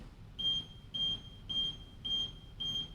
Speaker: so if you hear your scooter beeping five times and it's just not operating make sure that this back lever which is yellow is in the right position facing forward